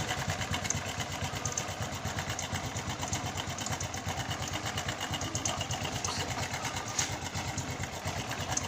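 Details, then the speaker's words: Honda Revo Fit fuel-injected motorcycle, thick white exhaust smoke: loose uneven clatter at idle, about a hundred knocks a minute, not from the clutch side; suspected piston or cam chain noise, engine to be disassembled. "repopit injection mesinnya Koplok Koplok Koplok Koplok koplakkoplak knalpotnya berasap putih tebal apanya ini tapi bukan di bagian kling jadi suara ini di sebelah k sama suara di bagian depan biasanya sih suara piston sama suara keteng"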